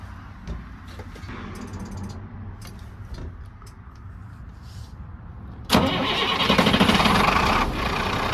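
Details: International 466E diesel grapple truck that sputtered and died: starter cranks nearly six seconds before it catches and runs roughly; hard start, owner suspects the high-pressure pump.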